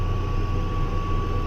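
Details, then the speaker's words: Case 305 tractor disking ground under load: deep steady diesel drone with a thin constant high-pitched chirp that appears when load is applied and goes away when load is removed; exhaust manifold gaskets recently replaced, curing a ticking; owner suspects turbo wastegate, unconfirmed. "as soon as you put the load on the tractor you'll hear that you take the load um as soon as I as I take the load off it goes away"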